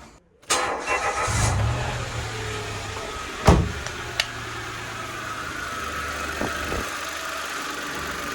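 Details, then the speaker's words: Mitsubishi Mirage after replacing the air filter housing's rubber mounting bushings, which had let the housing rattle loudly at start-up: the small petrol engine cranks, catches and settles into a steady, quiet idle with no rattle or buzz, even with the AC compressor running. "เสียงก็เงียบลงนะครับแต่ก่อนก่อนหน้านี้นะครับตัวนี้มันจะสั่นสั่นทั้งหมดนัแหละตัวนี้ก็สั่นตัวนี้ก็สั่นทีนี้ก็ไม่มีเสียงแล้วนะครับ"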